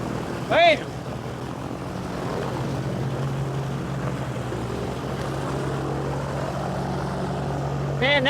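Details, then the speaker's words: Cessna 421C engine just after start, fitted with magnetos taken from a 310 for better starting, fuel consumption and power: a steady, even low drone with no misses or surging. It is running smoothly. "one fired right up and we've modified it we put the uh the surfly magnetos off of the 310"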